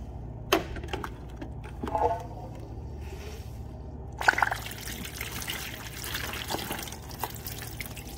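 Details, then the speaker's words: Walk-in cooler evaporator pair, severely frozen, being deiced with the fans off: faint fizzing and popping of meltwater over a low hum, a sparkling sound indicating oil in the ice and likely a refrigerant leak. "you hear how it kind of sparkles the water has a like a sparkling sound to it anyways it's a very distinct sound not so prevalent on this unit so i can hear that popping noise right around there"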